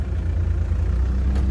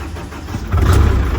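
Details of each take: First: Perkins diesel engine on a CAT generator running rough and surging at steady throttle, speed swelling and falling every couple of seconds; loose unbolted cab also banging; suspected fuel leak from injector seats, cause not confirmed. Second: Perkins-engined CAT diesel generator, a non-starter with oil and fuel leaks, fired after bridging a wire for missing ignition power: quiet low rumble, then the diesel catches and jumps to a loud, steady, deep run.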